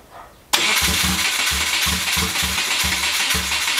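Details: 1998 Subaru Impreza 2.5RS with a 2004 WRX engine swap, the starter turning the engine over evenly at about three pulses a second but never firing; owner doubts fuel is reaching the engine, no fuel smell. Cranks but won't start.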